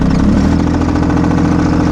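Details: Mahindra eMax 22hp subcompact diesel tractor at low idle; steady, even clatter with no misses or knocks — healthy engine.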